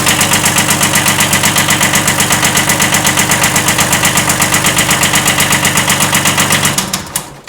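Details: 1979 Kubota B7100 tractor with a D950 engine swapped in for the D750, at steady idle: a hard, regular knock about four times a second over the diesel clatter, a slight rod knock from a worn connecting rod bearing.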